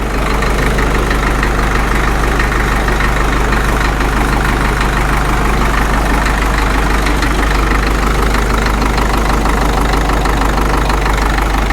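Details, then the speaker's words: Caterpillar D2 #5J1113 diesel after replacing the internally leaking number 3 injector: even, steady idle around three beats per second with no pop or miss; sounds better than it has since it first ran. "I'm not getting that pop anymore. I think this sounds better now than it has since it's ran."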